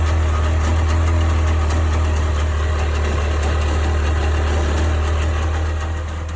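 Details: 1998 Sea-Doo GS 720 personal watercraft at idle: heavy low drone with an uneven knock around four beats a second; owner asking what the strange noise is, cause unknown.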